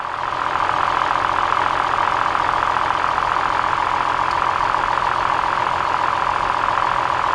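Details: 2003 Toyota Highlander petrol V6 at idle with a blinking check engine light: slightly uneven, loping beat; during a power balance test, unplugging one coil makes no difference, pointing to a dead cylinder from a bad ignition coil.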